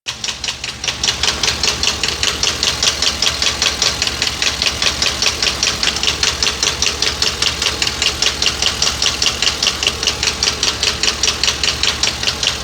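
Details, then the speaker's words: 2022 Ford F59, 7.3 gasoline V8, code P0300 random misfire: sharp, even tick about two to three per second over idle, isolated with a screwdriver/hose stethoscope to cylinder 3's top end; owner rules out rod knock, suspects camshaft. "El ruido está en el cilindro número 3. Aquí está el ruido. Bueno, aquí está el ruido en el cilindro número 3."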